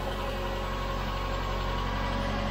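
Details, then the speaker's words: 2005 Subaru Outback at the first start of its rebuilt engine, oil-primed beforehand and still cold before coolant is added. Very quiet, smooth, even idle with a soft, low hum and no ticks, knocks or misses; it runs healthy. "nice I can barely hear it it's so quiet nice"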